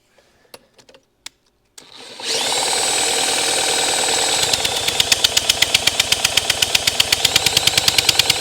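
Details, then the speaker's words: Formerly seized vintage Honda CL90 engine, spun with a drill after freeing: even whirr with a regular puff about four times a second, showing good cranking compression. "That definitely sounds like compression. Yeah. Sounds pretty good."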